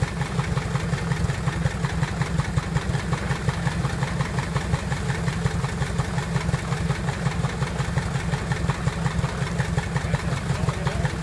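Even, steady firing pulses near 170 a minute with a low throb and no knocks; this engine idles smoothly and healthily.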